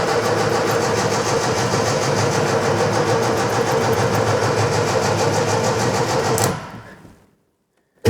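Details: Scrapyard Fiat 600, after cleaning out and refilling fuel: uneven cranking with weak catches that never pick up into a run; owner suspects the carburettor is not filling with fuel properly, found pretty dry.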